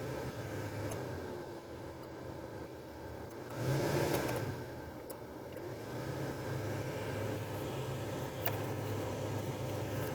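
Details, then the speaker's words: 2005 Toyota Tacoma cabin blower after blower motor resistor replacement (previously worked only on high): steady, even airy rush with low hum, no rattles or chirps; now adjustable speeds working normally, though the wiring plug may need replacing if trouble recurs. "start her up currently it's off now guess what I'm probably going to have to replace that plug yeah it's working now"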